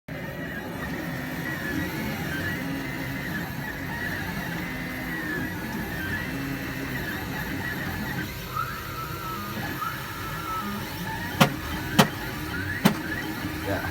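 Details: XYZ Da Vinci Pro 3D printer during printing: motor hums and chirps with shifting tones, then three sharp loud bangs near the end; banging for 17 hours, cause unknown.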